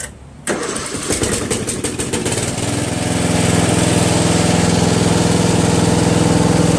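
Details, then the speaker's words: Murray Select 12.5 hp 40-inch lawn tractor riding mower, owned almost 20 years, all safety switches working: short crank, catches almost at once and settles into a steady, even single-cylinder idle; normal start and idle. "Believe it or not, my Murray is very reliable, regardless of what Murray is known for in their reputation. I've had this, like I said, for almost 20 years, and it always starts up perfect."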